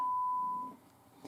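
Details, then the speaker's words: FPGA board output after USB power noise was fixed with a separate breadboard power supply: a single steady pure beep at about 1 kHz, with no hiss or buzz underneath; clean tone. "so now the problem is solved if i turn up the volume here we can hear the signal clearly there's no noise"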